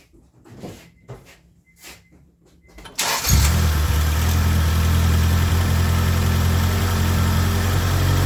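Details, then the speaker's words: Acura Integra after head gasket replacement, restarted after rocker arms were re-checked: a few clicks, then catches into a steady even idle with no knocks or misses; coolant level stays settled, judged fixed. "[Music] up sounds good [Music] it's been running for about about additional 2 minutes"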